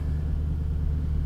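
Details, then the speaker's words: 1997 Jaguar XK8 first start after remanufactured ECU installed, previously wouldn't fire or stumbled due to bad ECU solder joints, warming up: deep, even rumble settling into smooth steady idle, no stumbles; already acting better. "gonna let it run we're gonna let her warm up see how she behaves already acting better"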